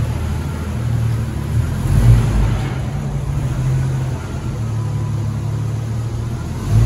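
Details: 1994 Jeep YJ after ECU and fuel pump repairs, driven gently in first and second gear: a smooth, steady engine note with no knocks or stumbles.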